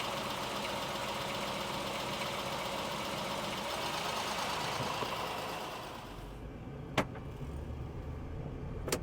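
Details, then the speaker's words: High-mileage Honda Pilot petrol engine after replacing the suspected faulty downstream O2 sensor; no exhaust leaks found underneath. Steady, even, smooth idle with no ticking or puffing; runs really good, healthy. "Runs good, runs really good. We're off and running."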